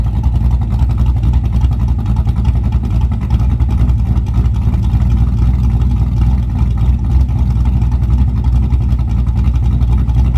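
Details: Camaro cammed V8 at idle on a freshly installed Summit Racing Max EFI-500, whose IAC valve adjusts idle (carbureted idle was about 900-970 rpm): deep, choppy lope with the beat drifting slightly up and down. Normal, running fine.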